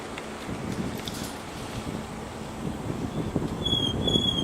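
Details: Brakes on a vehicle fitted with KRANZ GIGA'S wheels, recorded while rolling over wind and road rumble: thin high-pitched squeal with ringing overtones in the last second, a brake noise symptom.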